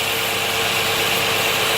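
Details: 2011 Nissan Maxima in park with code P0171 and high idle around 1,100 rpm: steady idle with loud constant hiss from a small leak in a vacuum hose plugged into the intake manifold; vacuum leak.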